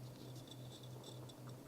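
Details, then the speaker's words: Failing hard drive, with a crash at 6 percent and an E106 error: faint sharp ticks three to four times a second over a low steady hum; a clicking failed drive. "I'm sure I can hear the hard drive clicking"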